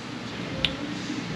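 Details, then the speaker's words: Automatic transmission solenoid on the shop truck, commanded from a computer during a torque converter diagnosis. One crisp, sharp click in a quiet room; signal, wiring and solenoid are good. Normal solenoid click; the torque converter itself is suspected. "okay so the signal is going to the solenoid so I know everything going to the computer is good everything going through the wiring to the solenoid is good and the solenoid in theory is good also"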